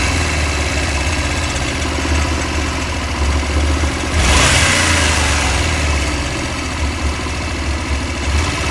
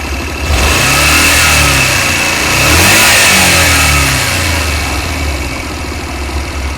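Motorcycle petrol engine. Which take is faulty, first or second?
first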